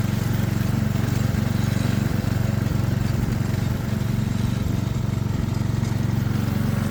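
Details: Small single-cylinder ride-on mower engine, overdue for an oil change and on a temporary air filter, pulsing steadily at about four beats a second under mowing load, even and strong; running fine.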